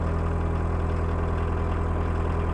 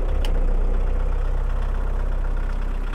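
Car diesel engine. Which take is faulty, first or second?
second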